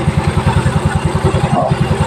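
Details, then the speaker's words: Yamaha Mio Soul i scooter with a noisy engine traced to the cam chain tensioner, idling just after the tensioner was turned: even putt-putt at about nine beats a second, no ticking or rattle, engine now quiet. "nung pinihit ko yung tensioner ayan wala na siyang ingay paking niyo wala na siyang ingay"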